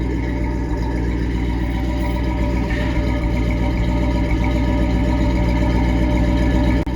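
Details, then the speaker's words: Carbureted V8 dually truck that had a flooding carburetor and would not start, now running after a fix, with no X-pipe so the misfiring side can be isolated; deep uneven idle lope with occasional exhaust puffs from an intermittent misfire. "you hear that puff it's misfiring that's why i didn't put an x-pipe in there because you can isolate what side of the vehicle is giving problems"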